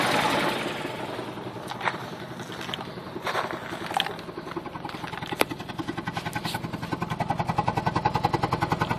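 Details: 1995 G20 with an uneven, lumpy idle pulsing about 3–4 beats per second with occasional stumbles; rough idle, cause unclear.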